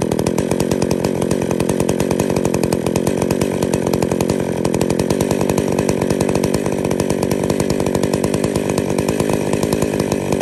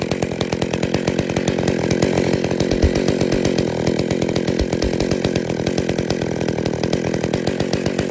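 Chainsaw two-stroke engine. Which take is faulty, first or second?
second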